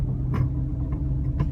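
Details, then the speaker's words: 2009 Hyundai Accent driving: irregular light clunks and rattles over road rumble from sway bar end links with slight play; fixed by replacing the links. "you can hear the of a clunking rattling sound and I got checking underneath vehical discovered those sway bar links and just a little play you know it's enough to make a clanking clunking noise as you're going down the road"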